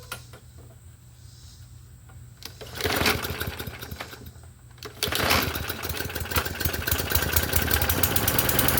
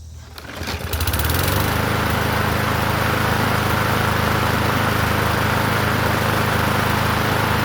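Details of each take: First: Murray 21-inch push mower with its gas tank and air cleaner cleaned, primed several times, starts on the second rope pull and settles into a steady, even run with no misses; running healthy. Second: Murray 21-inch push mower with an engine stamped 125, running fast after its tank and air cleaner were cleaned: buzzy metallic rattle from the vibrating muffler cage; the fix is to tighten its bolts.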